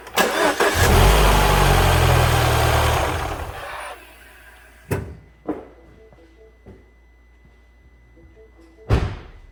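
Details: 2014 Mini R60 Countryman after fixing an intermittent no-crank by repairing the engine ground strap near the right shock tower (starter was fine), original battery: short crank catches right away, revs up a few seconds, then settles to a quiet even idle; normal start.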